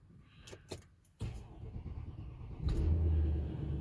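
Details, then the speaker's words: Audi Q7 4.2 V8 TDI after engine rebuild for timing chain oil pump failure: brief crank, then fires cleanly and settles into a deep steady rumble with no knocking; healthy start, warning lights still on. "Time to get it out of the garage. See if it starts."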